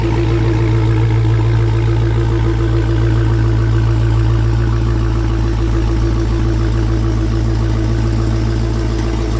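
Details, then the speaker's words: Wrecked Hellcat being rebuilt, cold idle (not fully cold, started only once before): a deep, steady rumble with even pulses and no miss or surging. Healthy supercharged V8; normal cold idle. "but now we need to do a cold startup right it's not super cold but it's still not too temperature and it's only been started once"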